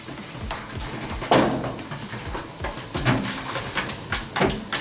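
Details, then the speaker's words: Clothes dryer drum turned slowly by hand, unplugged: irregular sharp ticks and light clunks, one-directional, mostly from the front side; a loose screw caught in the drum seal. "it kind of sounds like most of the noise is coming from this end, which is the front side of the dryer, which is good."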